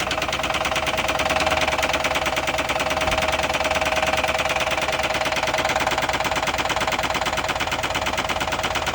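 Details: Chevy HHR bought at auction with a bad rod knock, idling while groceries such as lemonade and cereal are tried as a remedy. A hard, steady knock of about three a second runs under the clatter: a worn connecting rod bearing.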